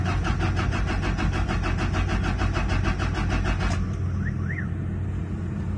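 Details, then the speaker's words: Toyota Fortuner diesel cranking evenly for about four seconds without firing after the fuel reportedly ran empty; no start, air bubbles suspected of locking the fuel system. "wala wala talaga so ayaw mag-start okay ang nangyari pal nito ang history sabi ng mayari ah tawag niyan Yung fuel daw empt na so ang nangyari nito ah nag-lock ang duda ko nito may bubbles"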